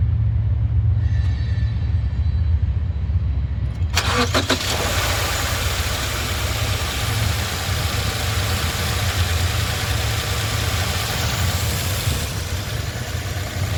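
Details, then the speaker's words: 2019 Subaru Outback, Northeast-car trade-in, warm start during pre-purchase inspection: brief crank, catches cleanly, settles to smooth steady idle with no real hesitation or major noise; normal. "All right, as you heard, no real major hesitation, no real major noise, nothing terrible."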